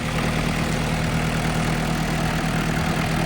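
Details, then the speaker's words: Case D40 tractor diesel run briefly after its power steering hoses were replaced and refilled, with the water not hooked up: a steady, even low hum at idle with no knocks or misses, running smoothly. "Okay, so far so good. Don't want to run this very long because I don't have the water hooked up."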